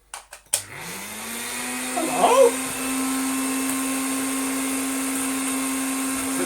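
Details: Antique Canadian Hoover Dustette 100 vacuum, first power-on after unboxing: motor spins up within half a second to a steady, even hum with clean airflow hiss, no rattle or grind; running healthy.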